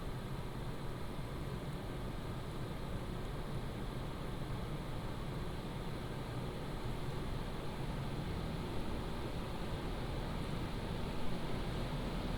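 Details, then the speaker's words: PCcooler DT360 ARGB Display liquid AIO radiator fans at medium fan profile: a steady, even rush of air, smooth with no rattle, ticking or bearing whine; healthy cooler fans. "So, this is at medium when the fan profile is set to right now."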